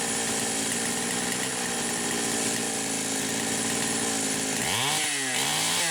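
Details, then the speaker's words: Poulan Pro 525 chainsaw (essentially Pioneer P52), carb gaskets repaired: high steady full-throttle scream, then pitch collapses and stutters twice; cutting out just shy of 11,000 RPM, electronic governor suspected, unconfirmed. "but I can get it to just shy of 11,000 RPM, and that's where it starts cutting out. So I actually think there's an electronic governor on here, but I can't figure out why the hell she won't idle."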